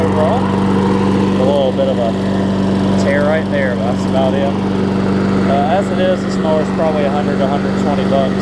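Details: Toro six-and-a-half-horsepower Tecumseh self-propelled mower after repair, with new blade, carb clean and full service. It gives a steady, even single-cylinder drone with no misses or surging, birds nearby, and runs smoothly.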